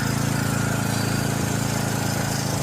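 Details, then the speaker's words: John Deere 6200 portable generator, single-cylinder, stored about four years with old fuel left in the carb, after a new carburetor with new gaskets: steady, even drone with a tight beat and no misses or hunting; far better than before; normal running. "Oh, that sounds an absolute ton better, boys. Job done. Sounds amazing."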